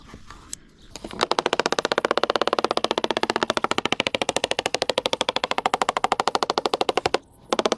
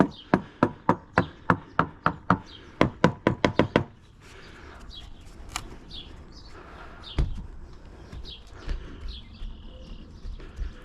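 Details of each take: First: Halcyon 23 fiberglass sailboat deck tapped with a screwdriver near a screw: rapid even tapping, about a dozen a second, gives flat dull thuds rather than crisp ticks; deck not soft underfoot; soft, possibly wet core suspected. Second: Hammer-tapping around the mast step of a free Halcyon 23 fiberglass sailboat: about fifteen crisp, sharp taps, roughly four a second, with no dull or hollow thuds; rock solid, possibly rebuilt, core sound.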